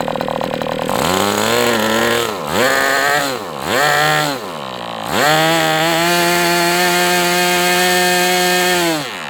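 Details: MDS 68 FS Pro model engine on a break-in run, heavy exhaust smoke: crisp high buzz blipping up and down with throttle, then a smooth even high run. Running well, better than with the idle bar plug.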